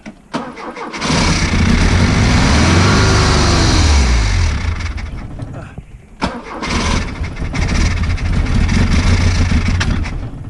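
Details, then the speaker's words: Freshly rebuilt Opel GT 1.9L carbureted engine with points ignition, cam and ignition timing verified, compression about 140: it runs rough, surging and sagging, and won't rev above about 1000 rpm. "I can't get it above a thousand now"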